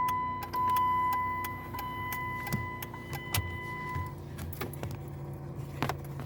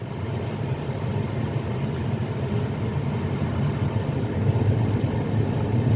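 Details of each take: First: 2016 Jeep Patriot: quick, repeated clicking from behind the dash, over a steady chime in the parked car, from a faulty HVAC blend door actuator, which was replaced. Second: 2016 Jeep Patriot after replacing the dash blend door actuator that was clicking: steady low engine rumble with no ticking or clicking from the dash; fixed, actuator quiet.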